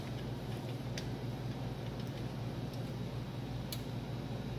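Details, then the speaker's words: Denon AVR-S700W AV receiver with no display, powered up after a thin-wire jumper repair: single sharp relay click over low mains hum, relay pulling in normally and display briefly appearing. "yeah nothing burn it i hear the click i see some of the display you see it"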